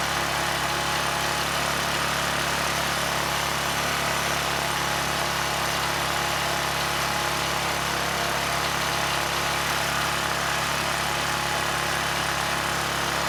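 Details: ETQ 2700-watt generator with brushless powerhead, after carburetor work keeping the original jetting: even, fast drone with no surging, 70 Hz with no load, still running fast with governor spring tension fully backed off; engine overspeed from misadjusted governor.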